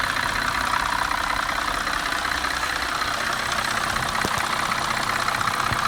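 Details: 2004 Cadillac CTS petrol engine idling with a light regular tick, about two to three a second, over a steady hiss, heard from the passenger side; at times it sounds like it wants to stall but doesn't; cause unknown.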